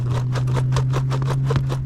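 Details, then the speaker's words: Nano Talon Evo RC plane: steady low servo hum broken by sharp clunks about four or five times a second, the spar inside the aileron hinge binding and sticking the aileron. "it's the actual Spar inside of that hinge foreign that clunking sound is The Binding of that Spar on the hinge"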